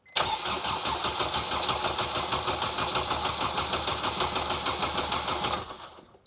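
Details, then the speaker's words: Honda Jazz with a swapped Civic EP3 Type R K20A engine on its first start attempt, throttle position sensor temporarily bodged, fuel pump heard priming: steady starter cranking at about three pulses a second for over five seconds with no firing. Crank no start, lack of fuel suspected. "well it cranks it cranks that's good that is good news I don't I don't think we got fuel"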